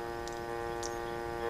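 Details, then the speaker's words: Vintage electrodynamic loudspeaker in a Crosley radio refitted with a permanent-magnet speaker: steady low buzzing hum with faint clicks, induced by the leftover humbucking coil near the field coil; moving the coil away removes most of the hum. "I no longer need in my case the humbucking toil to be here it's just a basically another method to produce hum as you can hear"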